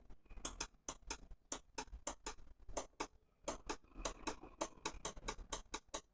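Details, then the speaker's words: RO water purifier micro switch, repositioned to the other side, clicking as the float ball is lifted and dropped: crisp, dry clicks, switch snapping over cleanly and working properly. "तो यह ऐसा आवाज आना चाहिए। देखिएगा।"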